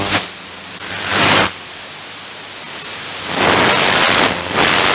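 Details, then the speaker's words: Thames & Kosmos Radio Ace valve receiver fitted with a 12BH7 tube, on shortwave with the supplied coil, feedback increased at the lower part of the band; loud hissing static swells and fades over faint hum, excessive regeneration. "so some we never had well never had before using 12 vh7 is feedback at the lower portion of the band a strong show of feedback live portion then"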